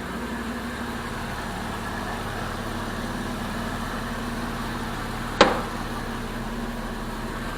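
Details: 2002 Jeep Liberty 3.7 engine after an engine swap, with a sensor plugged back in after rough running on the first crank: smooth, even petrol idle with a steady low hum and one sharp click from the bay. Normal idle.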